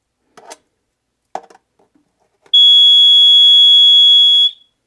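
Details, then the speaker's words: Basement Watchdog sump-pump high-water monitor tested by dipping its sensor in a tray of water: a loud continuous high-pitched tone holds for about two seconds, then stops when the sensor is removed. The high-water alarm is sounding, simulating a failed sump pump. "okay and that's your sensor now how loud it's going to come across the video but it gets pretty loud and so it'll keep going off until either the battery dies or um you know you you address it"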